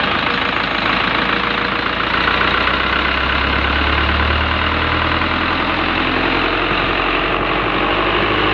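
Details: Isuzu 4HG1 diesel engine at steady idle: rough rumbling drone from the belt-drive front end caused by a damaged idler pulley.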